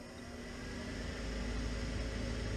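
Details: Furnace inducer motor on a no-heat call, running after the two control-board relays were taped together to hold contacts closed (suspected solder fault on the board): smooth steady hum ramping up to an even pitch, no rattles or bearing noise; inducer normal.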